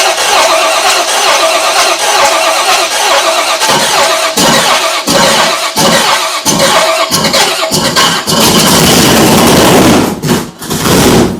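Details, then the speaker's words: Cutlass bracket drag car V8, built in 2008, firing up for the first time in years after a timing bump: even, steady run with no knocks, misses or leaks. Sounds healthy. "it's awesome to hear it fire up for the first time in all these years sounds healthy yeah it sounds good"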